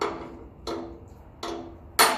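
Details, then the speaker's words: Massey Ferguson 35 tractor axle work: light hammer taps driving in an oil seal, four taps each with a clear lingering metallic ring, which signals the seal is fully seated before greasing; fully seated oil seal. "Ah yeah, that's starting to look like it's just about there, but I'll give it another few light taps just to make sure. I like to hear that ring, the metallic ring of it."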